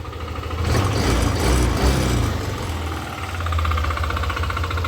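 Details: Yamaha Aerox v2 scooter: engine runs with uneven, rattly knocking over low drone, roughly four beats a second; abnormal engine noise, cause not identified.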